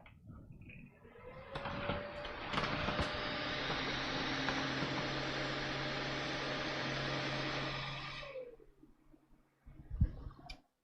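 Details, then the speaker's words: Broken AMD gaming PC: fan spins up with a loud rushing whir, holds several seconds, then winds down abruptly as the machine shuts off; a click was heard. Technician suspects overheating, unconfirmed. "Now, that behavior would generally indicate a heat issue."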